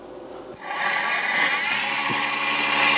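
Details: Replacement brushless motor fitted with the spindle encoder on a Fryer mini mill in place of the brushed DC motor: clean spin-up into a steady, even high whine with no rubbing or rattle; motor running normally.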